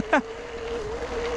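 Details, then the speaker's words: 2021 Specialized Kenevo Expert e-MTB, Brose motor in turbo mode and highest gear, climbing a steep hill. Steady, moderate mid-pitched whine holds evenly under full assist; quieter than other e-bikes the rider has heard. Normal motor whine under load. "yeah, you can hear that motor going. It's not too loud on this, to be honest. I've heard e-bikes have a lot louder motors, so here we go."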